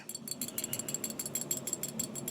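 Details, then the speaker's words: 1997 Harley-Davidson Springer Softail carburetor, accelerator pump reseated in housing: light crisp metallic ticks about five per second, evenly spaced, as the needle moves up and down, which it did not before; accelerator pump now working normally. "okay that's that needle going up and down okay it was not doing that before"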